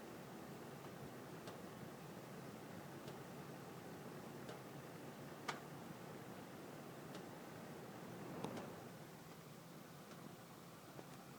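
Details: Sharp isolated pops every second or two over steady airflow hiss while the heat runs, interval between louder pops lengthening by about 1-2 seconds each time; owner suspects heating ducts expanding and contracting, cause not confirmed.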